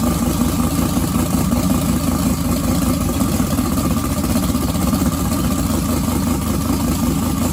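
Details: Twin-turbo 1969 Camaro pro mod, first start since the incident, idles unevenly and lumpy with an irregular low pulse before stalling; owner thinks it ran out of gas. Rough running.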